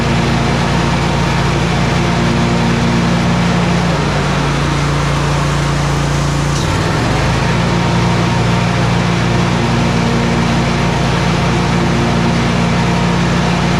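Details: Exmark 52" Pioneer S zero-turn (PNS720KC523), Kohler KT720 twin, after repair of rough running and bogging traced to faulty ignition coils: steady even drone with one brief dip, no popping or misses.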